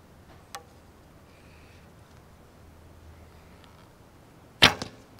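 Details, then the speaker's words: Recurve bow with a new endless-loop string, on release outdoors. A sharp twang followed by a quick buzzing slap as the limbs return; the string serving is hitting the limb tips. Fixed afterwards with Velcro. "So hopefully you heard the noise coming from the limb tips where the serving was actually hitting as the bow goes back to static state."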